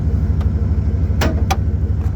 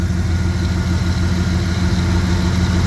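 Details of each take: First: '98 Dodge Ram 1500 running without a muffler: heavy, loud low rumble with a steady pulsing, throaty beat at idle. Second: 1998 Dodge Ram 1500, heard from under the truck after exhaust patching and welding, with the muffler left off on purpose: deep, loud rumble swelling with throttle blips; open exhaust, running fine.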